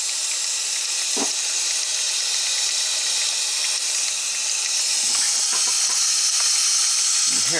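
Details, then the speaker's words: Ford 6.0 Powerstroke with driver's valve cover off: steady high hiss with faint gurgling from a high-pressure oil leak near the rear injector. "we got the driver's valve cover off and you can definitely hear a leak on this side"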